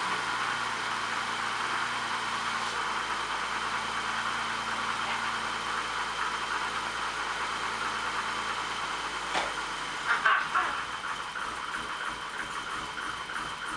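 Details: BMW E28 M535i first start after sitting a very long time, after refuelling and reinstalling exhaust: steady, even low idle with no misses or knocks, brief clatter near the end.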